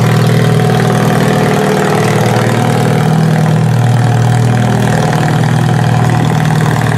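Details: Toyota Solara demolition derby car after electrical check-over: even, deep idle with constant drone and no knocks, misses or rattles; running very well.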